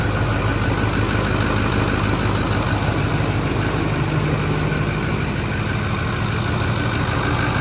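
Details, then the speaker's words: 2010 Ford F350 6.4 Power Stroke diesel after a head and ARP head stud rebuild, started on the fourth try after priming about 10 times, with no coolant yet: steady diesel clatter at an even idle with no knock or misfire and no smoke; a healthy idle. "so let me get out there make sure it's not knocking or anything sounds good"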